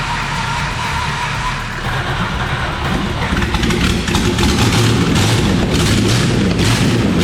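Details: Holden VT Commodore left for years in a paddock and missing many parts: the engine was locked up and freed, then cranking turns into a rough catch before it picks up and holds a steady rumble, running again.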